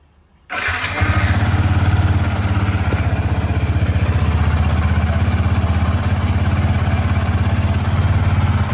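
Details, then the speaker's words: Yamaha FZ150i after new spark plug and coil with shortened Tobaki wiring, engine possibly slightly warm from earlier start: catches instantly and settles into a steady, even idle, no misfire; starting improved and healthy. "Tapi nampak gayanya nampak lagi sedap lah dia punya starting."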